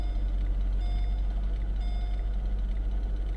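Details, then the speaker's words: 2005 Mercedes SL500 after fresh fluid in the ABC suspension system: steady, even low engine hum at idle with a faint constant whine; the earlier weird sound is gone and the ABC pump sounds normal. "pump. So the sound is gone. The weird sound is gone."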